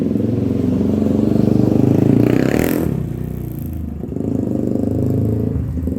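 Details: 1997 Honda TRX300EX single-cylinder after cam chain replacement, not run in a while and still cold: revs up and settles with an even beat, a little lumpy and grumpy; otherwise running healthy.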